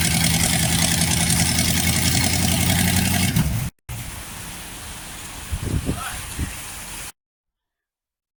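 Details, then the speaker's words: Freshly fully rebuilt 1960s Chevy 327 V8: even, settled idle with steady low rumble, no knocks or misses, then quieter; oil pressure good, timing needed no adjustment, cam still to be broken in. "All right. Like you can see, our wonderful friend, Mr. Div's engine is running. Oil pressure. Everything's perfect. Engine sounds good."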